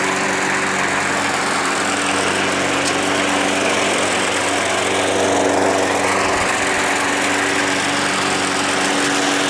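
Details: Small single-cylinder engine that sat all winter, primed about five times: a steady, busy buzz with an even beat and no misses or knocks; it runs normally.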